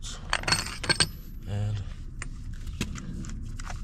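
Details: BMW E36 sedan: loose, uneven metallic jangling and clicking as the removed worn wheel bearing is worked by hand, the same noise heard while driving, which had caused the wheel wobble.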